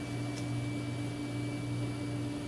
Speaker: Oh, wonderful. The fan in the power supply is making like a rattly sound now. That just started.